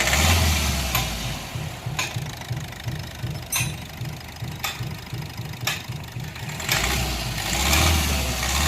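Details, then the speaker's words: Diesel CRDI vehicle knocking (tak-tak) on sudden acceleration, isolated to cylinder 4. After swapping injectors 1 and 4 the knock stays on cylinder 4, and unplugging its coupler silences it. Wiring suspected. Rough idle with regular low knock. "अब इस point पे ऐसा लग रहा है कि जैसे wiring में दिक्कत है, क्योंकि अभी भी नॉकिंग की आवाज़ फोर्थ सिलेंडर से ही आ रही है।"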